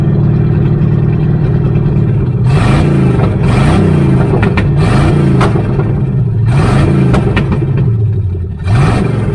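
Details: 1978 Chevy Nova V8, possibly a 305 two-barrel, sat for 25 years, no exhaust fitted: lumpy, uneven idle with a slight shake through revs and no audible knocking or ticking. Runs on all cylinders; rat-chewed distributor wiring; cause unconfirmed.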